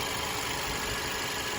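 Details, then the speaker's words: 2018 Audi A4 2.0-litre four-cylinder after replacing dealer-fitted wrong spark plugs with correct ones; smooth even idle hum with no misses or stumbles; rough idle fixed, normal idle. "you know why it was rough idle it's pretty smooth now two liter yeah you know what the dealer put the wrong spark plugs in"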